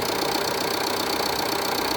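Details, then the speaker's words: Jeep Renegade 2.0 Multijet diesel after the repair of an engine noise that had been a deep, low roar: even, steady idle with a smooth fine patter and no rattle or drone from the front accessories. The engine now runs normally. "tá zerado tá olha aí você vê que tá um barulho bem suave"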